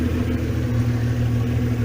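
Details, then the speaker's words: VW Caravelle T3 with Subaru H6 3.0 swap, hot restart with coolant warning on: splutters then catches itself, revs settling toward about 800 rpm into a low, steady, gentle idle with no misses or knocks. "It's spluttering, but it's catching itself. See, the revs are trying to get to a magic like 800 revs. Sounds like quite a nice gentle idle, not too crazy."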